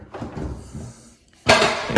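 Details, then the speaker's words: Zadro TWB01 towel warmer, barely used, dead when plugged in, shaken by hand: quiet then loose clattering bursts; something broken loose inside casing. "but it doesn't give me a good impression if there's something rattling around something blw and is now loose inside of this uh this"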